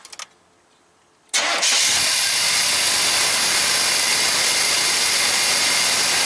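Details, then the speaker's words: 1991 GMC Jimmy just after fitting a new PCV valve: engine fires, stalls, restarts and idles with a slightly uneven beat, running a little rough before smoothing out; truck has a stalling problem, owner wonders about the O2 sensor. "Anyways, you saw I fired it up, stalled out right away, fired right back up. It was running a little rough. It's smoothed out now."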